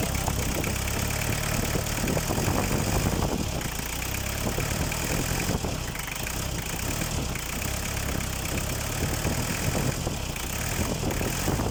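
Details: Mitsubishi Canter 4DR5 diesel after cylinder head gasket replacement (oil had been getting into the radiator, leaking valve): steady, even diesel clatter at idle with constant low rumble, no misses or extra knocks; healthy running.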